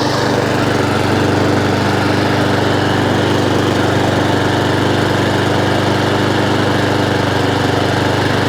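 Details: Honda IZY 19-inch petrol lawnmower after carburettor fuel-leak repair and service, revs raised slightly via governor arm after earlier hunting/surging; even, steady beat at constant speed, no hunting or surging, doesn't cut out: normal steady running.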